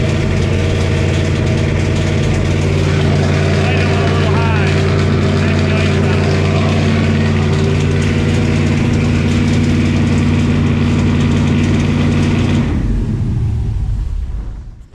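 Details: 1968 Camaro with LS swap and 4-speed manual, first start: loud V8 holds a fast, even idle about twelve seconds, then shuts down; high idle, owner says the idle screw needs backing down.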